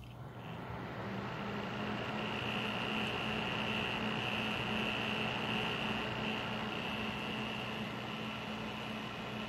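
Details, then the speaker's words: Kraken X61 cooler fans at 100% speed (crackle already at 25%, 840 rpm): steady airy roar with thin high whine; loud fan noise, screws and cables checked, owner suspects fan bearings. "now I'm going to turn up to 100% fan speed so you can hear how bad it gets"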